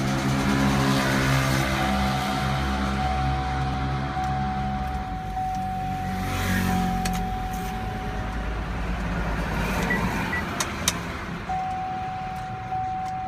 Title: Chevrolet SSR won't start